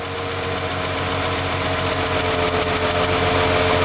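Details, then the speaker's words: Ford Freestyle 3.0 V6 with cylinder 1 misfire, no codes, idling: sharp, even spark snaps several times a second as a new ignition coil jumps a large air gap, unlike the weak arcing old coil. "Now let's put a new coil in there. Ground it right out right away. Oh yes. You see that, right? That is able to jump a massive air gap."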